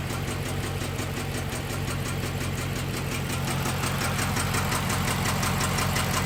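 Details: 6.1L SRT8 HEMI V8 with a random cylinder misfire: the idle and run are uneven and lumpy, with a fast, light ticking running through them; sounds like a cylinder dropping out.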